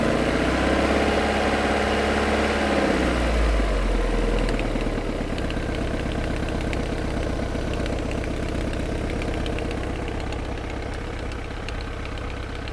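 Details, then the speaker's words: 1995 Vauxhall Cavalier MK3 with X20XEV 2.0 16-valve engine, about 58,000 on the clock, already warm: light, rapid, regular ticking at idle that usually clears with revs; owner fairly certain the auxiliary belt tensioner is the cause, not confirmed. "you know obviously the able to hear that flipping pretty certain that it's actually the tensioner that's causing us the problem"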